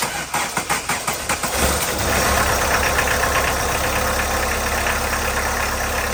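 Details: 1991 VW Jetta GL diesel after fuel filter change and priming with temporary electric pump, normal fuel line restored: several cranking beats, then catches and settles into steady even diesel clatter at idle; starts and runs normally.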